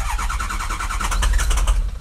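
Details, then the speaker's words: 2007 truck diesel, 119,000 miles, cold, not plugged in: quick even starter churning with extended cranking, engine won't catch cleanly; codes for cylinders 1, 3, 5, 7, broken ICP sensor tab and wrong oil filter found. "nope it still ain't good i might go uh i need to plug it in i want to get it to start but i don't really want it warm"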